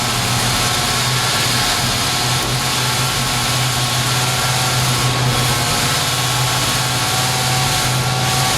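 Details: 1968 Chevy Camaro with a new Jegs 350 HO small block Chevy crate engine, after first fire for break-in; smooth, even V8 rumble at steady idle with no knocks, misses or ticks, running healthy.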